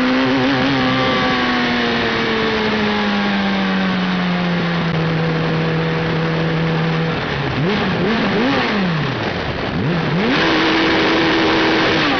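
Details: Suzuki Hayabusa with failing ignition: revs climb then sag unevenly, with stumbling, choppy blips instead of clean pulls; engine misfire from ignition failure.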